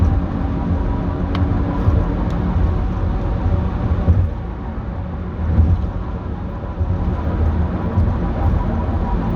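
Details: 2008 Dodge Grand Caravan while driving: a continuous coarse, low grinding rumble that swells and eases slightly. It persisted after replacing the right drive axle; the owner wonders about differential bearings in the transmission.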